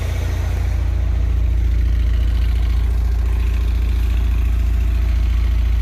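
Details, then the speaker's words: Honda Prelude rough idle misfire, spark plugs suspected and about to be replaced: heavy, lumpy idle pulsing about three and a half times a second, shaking more than before, exhaust popping with a brapping note. "shaking more than i used to i think it's it's firing or something if the way the uh the fumes come out of the exhaust it's like popping it's sort of like a brapping kind of engine right now"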